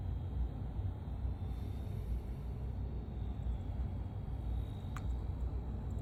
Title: Lian li TL LCD 120 Wireless fan abnormal bearing noise